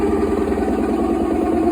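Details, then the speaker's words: Whirlpool top-load washer draining and spinning with the pump running: fast, even rattling clatter over a steady mid hum, from a stripped drive hub (plate base holding the tub). "Ese es problema de plato. La base que sostiene la tina."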